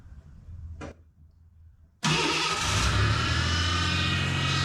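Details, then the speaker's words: Ford Bronco II with fuel-injected 2.9 revived after sitting in a field since 2001: starts after a short crank, rough idle with steady whine while power steering fluid looks empty; power steering pump whine. "okay we got oil in so I had some power steering fluid sitting around see if we can put some of that in it get rid of that whining power steering pump"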